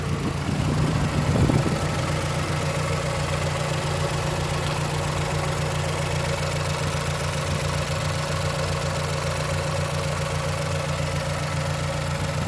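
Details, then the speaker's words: Stock 2009 Mazdaspeed3, parked about two years, with prior slight knock and rough idle, just after new spark plugs: steady, even idle slightly high with a smooth low hum, no ticking or knocking, running much smoother than before. "idling a little high that sounds way better yeah there was no knocking at idle this critical idling sound"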